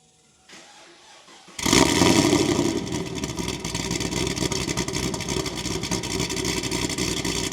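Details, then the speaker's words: 2010 Camaro SS with long tube headers and stock mufflers: loud fast idle with sharp ticking on each exhaust pulse; header leak suspected, mufflers to be fitted. "loud open the hood so sounds like it's got a little hitter leak but I'm fixing to put it on the lift and put some Mufflers on it"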